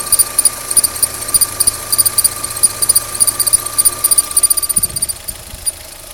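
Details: Opel Z16XEP engine at idle; thin high chirping squeal in quick pulses over a quiet idle with a faint steady tone underneath; owner can't tell why it whistles: belt squeal, cause unclear.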